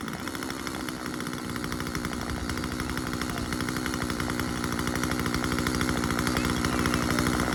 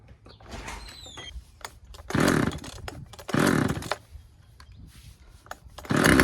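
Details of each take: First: Husqvarna 136 chainsaw cutting, after carburetor cleaning and low-speed adjustment: fast even two-stroke buzz that steadies and gains strength in the cut, no misses; running clean. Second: Husqvarna 136 chainsaw, first start: fires in short revving bursts that fall away and won't hold a steady idle; low-speed carburetor mixture needs a slight adjustment.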